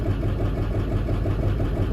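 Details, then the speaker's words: Diesel burnout truck at a steady low idle during an injector cut-out test: even pulses don't change when injector 4 is dropped, unlike cylinders 1, 2, 3, 6, 7, 8. Suspected dead cylinder 4 or 5. "Didn't really change anything. So if I'm enabling and disabling the injectors, enable them all."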